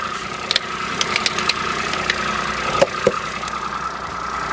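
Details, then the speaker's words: Peugeot 107 three-cylinder at idle on a cold day, just after a coil pack replacement; steady, slightly lumpy idle with a faint high whine, running on all cylinders. The idle is normal. "Still rough, but it's a 3-cylinder, so it will be. Simple as that."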